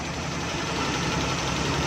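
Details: Suzuki Bolan/Ravi at idle, missing; rough uneven idle with stumbling beat as a wet spark plug well shorts the spark; misfire from water in spark plug well.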